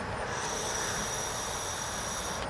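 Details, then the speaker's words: GM EVAP purge solenoid with code P0496 (EVAP flow during non-purge), vehicle stalls when refuelling: air blown through the unpowered, disconnected valve gives a steady two-second hiss, so it leaks when it should seal. "that's me blowing air through the solenoid that should not be right now with me disconnected I'm blowing air through there I shouldn't be able to do that"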